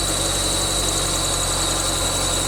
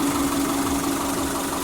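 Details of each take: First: 1999 Subaru Forester S 2.5L EJ25 SOHC, first start after head gasket replacement: constant high-pitched squeal over an even idle from the bottom pulley, which was on too tight. Pulley squeal from overtightened pulley. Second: 1999 Subaru Forester S 2.5L EJ25 SOHC, first start-up after head gasket replacement: smooth, even idle with a steady low hum. The pulley squeak is gone after the overtightened bottom pulley was loosened: normal idle.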